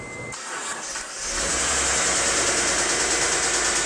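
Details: Right after start-up on a Mitsubishi 3000GT SL: rapid, fairly regular top-end tick about three a second over the idle; owner suspects lifters, not confirmed.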